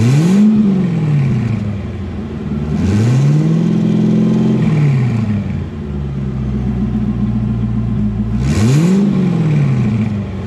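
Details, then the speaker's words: Twin-turbo C5 Corvette, engine stock except turbos, after turbo upgrade: three clean rev blips, pitch climbing and falling smoothly back to steady idle, no misses or odd noises; healthy, no leaks. "Set you down over here and give it a little rev."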